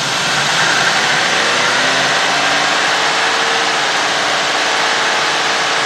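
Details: Warm GM 4.6 V8 (Cadillac DeVille class), rough surging idle. Live data: open loop, fuel trims about 30 on both banks. Steady airy hiss over an unsettled idle; intake manifold gasket vacuum leak, to be checked with carb cleaner.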